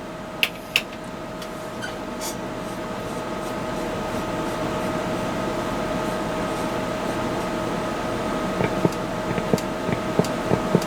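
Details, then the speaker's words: Hallicrafters S53A receiver, band B (2.6–6 MHz): only steady hiss with faint hum, no signal; band dead even after cleaning band switch. "3.5 megahertz. I'm hearing absolutely nothing. I went ahead and cleaned the band switch just in case that was a problem. But no, still not nothing on band B."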